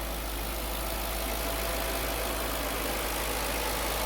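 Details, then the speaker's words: 2005 Audi B6 4.2 L V8, 180,000 miles, after a cold-start rattle cleared by revving: smooth, quiet, even idle with no rattle; rattle was a failing starter return spring letting the pinion hit the flywheel. "So now it's back to nice, normal, quiet."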